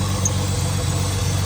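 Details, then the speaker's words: $500 neglected skid car that had run without oil idles roughly with an uneven, lumpy pulse, occasionally almost stopping; misfire at idle, and surprisingly little ticking. "that's it running at the moment does have a misfire as you can see every now and then it just stops but"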